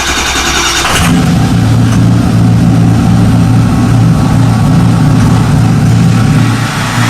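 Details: 2005 Ford F250 Lariat 6.0 Powerstroke diesel, cold start after six months winterized; bulletproofed, ARP head studs, FASS fuel system, new Garrett turbo, 4-inch straight pipe, SCT tuned, EGR delete: fuel pump primed, catches within a second, steady deep rumble, no misses or knocks; normal cold start.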